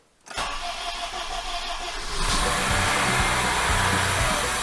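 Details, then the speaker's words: Honda CR-V (4th generation), contract replacement engine, first start after installation, oil level below minimum with flush oil. Brief crank, engine catches and settles into steady, even idle, no knocks or misses; started first try, no extraneous noises. "завелся работает ровно Ну что скажу Отлично все хорошо завелся с первого раза долго правда заводился но завелся"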